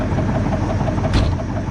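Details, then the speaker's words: Small two-stroke chainsaw with advanced timing, about to fell an ash tree on steep ground: holds an even, steady burble with no misses or surging; owner says it is running great. "i'm gonna cut that ash tree over here let y'all i'll set you all up where you can watch him make a splat pudding is running great i'm so proud of pudding"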